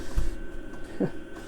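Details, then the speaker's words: Chinese diesel air heater in a van with upgraded fuel tank, cabin near 17°C: quiet background hum with soft ticks under a second apart from the fuel dosing pump; normal running. "the heater's hardly making any noise. The only thing that's making the noise is the fuel pump. You can just hear it ticking"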